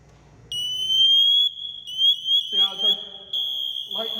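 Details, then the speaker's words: Firefighter PASS device in full alarm when wearer is motionless: loud piercing steady high tone with rising chirps that gets louder, helping crews locate a downed firefighter. "he gets louder and louder until eventually it gets really really loud if he's hurt and he's laying there and then we kind of play a big game of marco polo and we can come find him"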